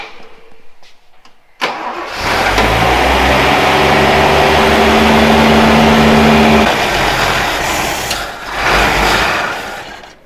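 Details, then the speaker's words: Toyota Land Cruiser FJ40 (about 58,000 miles) after sitting 20 years, fuel pump leaking: engine catches, runs steady a few seconds, then sags and dies as the carburetor sight glass empties; engine stalls from fuel starvation. "that's freaking way cool it ran out of fuel again yeah the the sight glass is empty"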